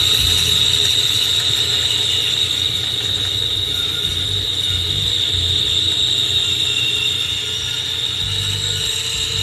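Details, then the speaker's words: Power tool cutting a drunken cutting board: the motor roar carries a steady high whine that strains as the bit hits a tough knot in the wood, showing the tool loading up. "Tell when it's hit a tough spot, because you hear that little whine."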